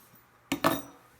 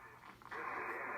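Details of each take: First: Drake R4C receiver with 6HS6 mixer tubes: two sharp metallic clinks as the set is tipped, crystal calibrator loose inside chassis after mounting pegs came loose, crystal possibly damaged; loose internal part rattle. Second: Early Drake R4C receiver with 6HS6 mixer tubes, dirty with bad switches, on 20 meters: quiet hiss, then a clean, steady voice-band sideband signal. Reception seems to be working.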